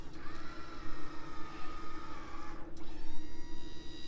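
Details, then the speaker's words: 2015 Ford F550 4x4 service truck, petrol V10 idling, 6,000 lb Auto Crane run by wireless remote, slewing left to right: steady hydraulic whine rises over the idling engine, holds smoothly, then cuts cleanly; all crane functions work normally. "all the functions work on it goes left to right"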